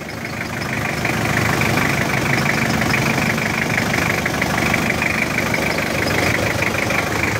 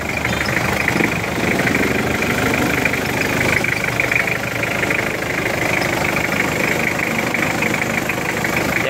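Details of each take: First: Diesel engine idling with a busy, rattly clatter and a metallic chatter over the normal knock. The timing chain is suspected, possibly just the tensioner. The tensioner is to be reset first and may need replacing if it is still noisy and vibrating. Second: Mitsubishi Pajero 4M40 diesel idling steadily with an even fine mechanical clatter, no loud knock, after the timing chain tensioner was adjusted and reset; judged within normal sound.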